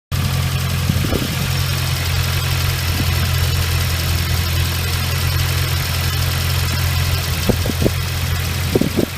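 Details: Nissan CA18DET engine (RS13U) at cold idle: steady low idle with a few brief ticks and clatters over the hum; noise disappears once warm, owner unsure if hydraulic lifters or something else.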